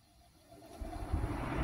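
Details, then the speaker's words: 2008 Ford Edge radiator cooling fan, driven by PWM signal with faulty relay connector bypassed: low electric whir spins up steadily, fan running properly; fault traced to bad relay connector. "hear the fan is working. So The problem is in this connector."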